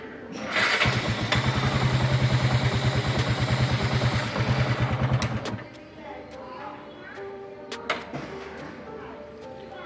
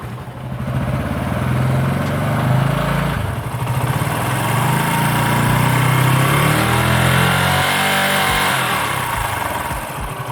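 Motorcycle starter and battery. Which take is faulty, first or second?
first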